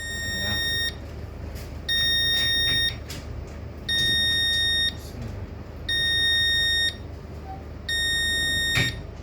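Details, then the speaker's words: Demco fire alarm panel on ship KM Sabuk Nusantara 92, running on backup after power-off: high beep one second on, one off, repeating over quiet room hum; panel reports battery missing, backup battery not detected. "faou missing baterai faou missing baterai berarti baterai tidak dideteksi tidak ditemukan ditemukan hilang gitu ya Heeh"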